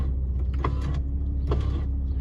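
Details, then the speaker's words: Jeep Grand Cherokee WJ passenger power window, engine idling; the motor whirs steadily with faint clicks but the glass doesn't move; owner suspects the motor runs but isn't connected to the glass. "or it's just not connected to the glass it's making a funny noise like it's trying to move it"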